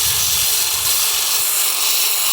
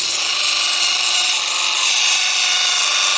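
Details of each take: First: Stone polished on a Velcro pad at 50 grit to remove saw cut marks: steady, even hissing grind with no whine on top; the pad sits flat on the rock, showing good contact. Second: Stone polished on a Velcro pad at 50 grit to remove saw cut marks: steady high-pitched whine over the grinding hiss; a high spot on the rock hits the pad first and is scratching the stone.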